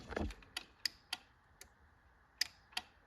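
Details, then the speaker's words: John Deere 445 that cranks but won't start: sharp, uneven relay clicking with no fuel pump hum. The problem was traced to a faulty fuse holder. "I still don't hear the fuel pump. It's like all the relays are clicking. No fuel pump."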